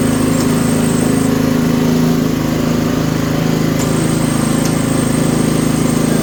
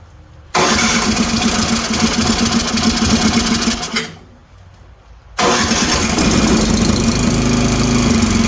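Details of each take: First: Toro 724 OE 1000 Series snowblower, 7 hp, 24-inch clearing path, in for service: a steady, even small-engine drone with a quick regular beat and no misses or surges. It is running cleanly and normally. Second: Toro 724 OE 7 hp snowblower single-cylinder engine, started on electric starter, with intermittent compression loss: fast light ticking over the putter; valves far too loose, excessive valve clearance, needs adjusting.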